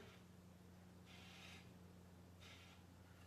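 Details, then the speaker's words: Bicycle wheel during radial truing in a quiet room: soft rasping scrape twice in about three seconds as the gauge rubs the rim's high spot; rim out of round. "So it's these two. So I'm going to pull the rim away from the camera. So I'm going to tighten this side."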